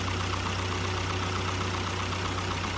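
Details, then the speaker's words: 2017 Hyundai Elantra 2.0 after engine swap, replacement engine about 40,000 miles, chassis about 75,000, idling with AC and everything on high: steady even idle, constant low hum, fan whooshing, no knocks or misses; AC blowing cold, healthy. "but it sounds very good turn on the AC everything on high is she cold"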